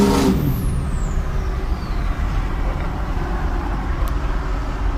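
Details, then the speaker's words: 6.0 truck with a bigger turbo fitted, recorded on a drive-by in heavy wind: a high whistle sweeps down in pitch as the truck passes over wind rumble; turbo spools cleanly, normal healthy whistle. "Well, I was going to do some drive-bys today, so you can all hear the whistle, and it's more windy out here than Hurricane Katrina."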